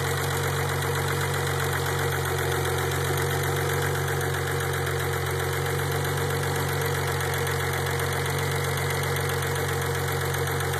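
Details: Engine at steady idle, noise appearing after 5–10 minutes of warm-up: a faint, uneven tapping at about four per second over the low drone; engine noise after warm-up, cause suspected, not confirmed.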